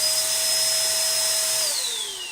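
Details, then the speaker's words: Old-school Sanitaire/Shark upright vacuum with no-suction complaint, motor on: steady high whine holding one pitch, falling smoothly at switch-off; no air-leak hiss, quiet as it should be; normal running. "you're not going to hear it, right? Because if you do hear it, trust me, there's another problem you got going on."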